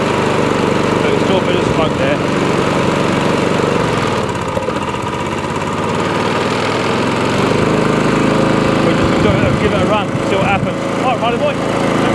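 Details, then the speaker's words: Old Mountfield Empress roller mower, first run, still a bit smoky but clearing, needs a 15–20 minute hot run to prove the engine: steady even beat, no misses or knocks. "still a bit smoky we see how it gets um it is clearing but it wants a good 15 20 minute run get nice and hot and that'll prove if the uh engines depending on"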